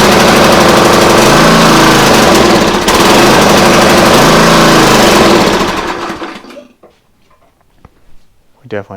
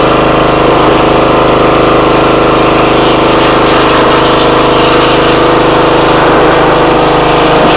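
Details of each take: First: Free used pressure washer small engine, only runs on choke: hammers fast and ragged then sags and dies within seconds off choke; suspected clogged carburetor. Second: Free used pressure washer that reportedly only runs on choke, started at full throttle on choke after bleeding air from the pump: loud steady drone holding even speed, no surging or hunting; motor and pump seem fine.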